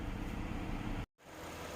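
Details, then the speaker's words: 2017 Hyundai Grandeur IG LPG, one owner, hood open with camera about 15 cm from the engine: quiet, smooth low idle rumble with no stumble or misfire, even engine sound; normal idle. "카메라랑 엔진의 거리는 한 15cm 정도 되는데 굉장히 조용하죠네 엔진 부조연상 전혀 없고요 엔진 소리가 고르게 나고 있다는 점 말씀을 드릴 수가 있습니다"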